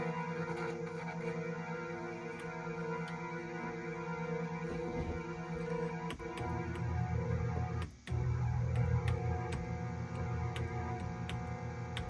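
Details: Korg Trident synthesizer, first power-up after replacing the power supply filter caps and fixing the wiring: a sustained string drone sounds with no keys played. The strings voice is stuck on while brass and synth are silent. This is a keying fault, possibly power-supply related.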